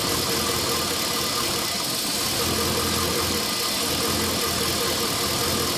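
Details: LS1 V8 after new intake manifold, headers and EGR/AIR delete: slightly uneven idle with constant airy hiss; vacuum leak from an open fitting left uncapped after removing AIR/EGR parts, not ECU tune; fixed with custom hoses.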